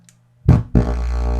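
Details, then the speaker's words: Miller and Kreisel MX-125 amplifier with a customer complaint of distorted sound and hum/buzz, audio input before pot cleaning: a low hum, then heavy, buzzy bass that sounds clipped and rough on every note, "terrible". "oh that sounds terrible"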